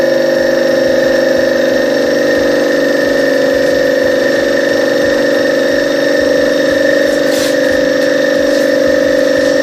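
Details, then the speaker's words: Copeland DKJ-75 refrigeration compressor test after repair (cylinders sleeved, valve plate and valves, connecting rods, piston rings, crankshaft ground), pumped to 15 atm, starts under load: even steady hum, no knocks or rattles; no extraneous noise, ready for installation. "Посторонние стуки, шумы отсутствуют. Готов к монтажу."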